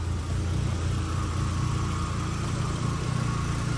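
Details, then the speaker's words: VW MK1 with a 1.8T swap (drive-by-wire, new harness and ECU), just started after the swap: low, even rumble with a steady beat and no misses or knocks, settling into a clean idle. "all right so let me show you the motor go ahead and start her up there we go cars running"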